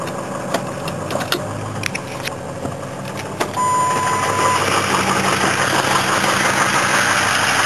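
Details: Ford 6.0 PowerStroke diesel truck that sits through winter, cold start: starter clicking, then engine catches and holds raised even high idle with faint turbo whistle; normal cold-start high idle.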